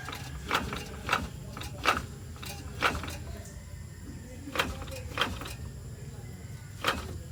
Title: ford Ecosport clunking sound (3rd gear on)